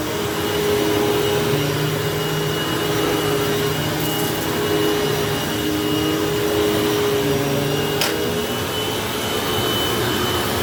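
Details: Hoover fold-away vacuum motor running after motor bearing replacement: steady even roar, constant tone, no dry rumble or rasp; before the repair it had a long wind-down with bearing noise, now much better, bearings healthy.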